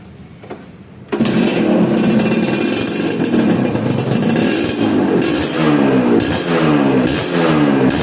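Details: Suzuki Satria 2T two-stroke, owner complained of sluggish, heavy pull, after porting rework on unfinished initial tuning: crackly, buzzy idle with throttle blips; basically healthy.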